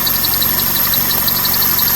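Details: 2001 Toyota Corolla 1.8 at idle: high chirping squeal pulsing about nine times a second, coming from the clutch; cause unconfirmed.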